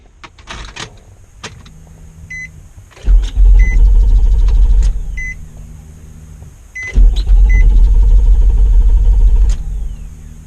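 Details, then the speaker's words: Car engine cranking in two bursts of about two and a half seconds each, starter turning evenly but engine never catching; crank no start, cause not identified. "aquí podemos ver que el motor del auto no arranca les voy a mostrar los elementos que pueden estar dañados y que estén provocando que el motor del auto no arranque"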